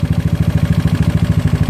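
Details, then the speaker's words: GY6 engine with OKO PWK 30mm carburetor while the idle mixture screw is being turned: low thumping single-cylinder idle at roughly eleven beats a second, slightly uneven and almost dying; unsteady idle during mixture adjustment, cause not confirmed. "Hannity I've been left in it I go left [Music] that's almost dying"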